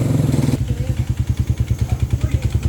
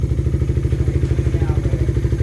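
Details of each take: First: Single-cylinder motorcycle, about 110 on the odometer and never refreshed, idles with a heavy clattering knock on every beat, audible from the gate. Valve-to-piston contact and piston slap. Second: Single-cylinder motorcycle with about 110 on the odometer, idling. Steady, even thump with a slightly loud, raspy exhaust from a tampered pipe and no engine knock. Normal idle with loud exhaust.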